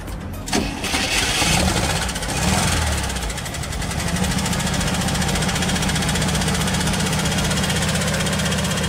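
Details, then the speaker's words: 2006 Jeep Liberty after water pump replacement and engine re-ring, tappets on one side still need adjusting: catches quickly after short crank, settles to steady idle with light even tapping, very slightly unstable; normal start and idle. "Está muy ligeramente inestable el motor, pero se oye perfectamente bien. Jala bastante bien."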